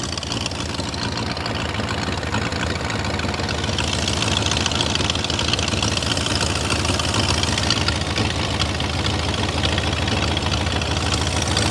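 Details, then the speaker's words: 2000 BMW E39 540i M62B44TU that sat long with an unfinished timing job, idling: sharp fast ticking with the firing pulses, confirmed by stethoscope as exhaust, not internal engine; exhaust manifold leak. "that is 100% exhaust related cuz there is no engine noise inside the engine that actually sounds bad at all"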